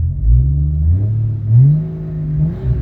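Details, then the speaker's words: 1988 BMW 528e with 3-inch Magnaflow exhaust, odometer mileage stated as incorrect: deep, even exhaust rumble that swells briefly with throttle and settles back, no misses or knocks; idle control works well, normal idle. "Idle control works great."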